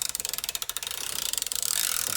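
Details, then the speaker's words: New Craftsman flex-head ratchet: crisp even fine clicking about twenty a second as it freewheels; pawl working smoothly, took 50 ft-lb without issue. "Spins really nicely, ratchets really nicely."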